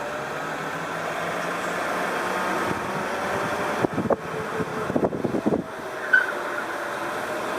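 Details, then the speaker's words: Car creeping at a few mph in a parking lot with the wheel about half turned: thin scrubbing tire squeal in short bursts; tires fighting each other, indicating an alignment or steering linkage fault. "another indication that there's something wrong with the alignment and the steering geometry of this vehicle is that even on very light low speed turns the wheels squeal as if they're fighting against each other"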